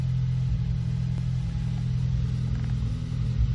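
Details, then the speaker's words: 2014 Ford Focus ST 2.0L EcoBoost at cold start idle, recorded at the exhaust: uneven, lumpy idle with irregular pops where cylinders drop out; misfires on cylinders 2 and 4. "And you can actually hear it misfiring. You don't even need a scan tool. Hear it? Hear those pops like that? That's that misfiring."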